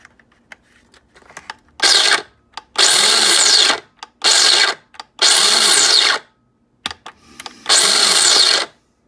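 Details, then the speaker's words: Mr. Coffee burr grinder set halfway on the dial: short bursts of high, whirring motor noise that sags and recovers; motor runs but does not grind properly and spits grounds, cause unclear. "It sounds like it wants to go, but I mean,"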